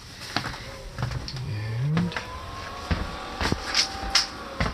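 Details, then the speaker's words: 5 kW diesel heater installed under kitchen of a 28 ft motorhome, replacing LP furnace: scattered pump ticks and a low tone rising as the blower spins up, starting its cycle. Normal startup. "it's starting its rotation thing works great"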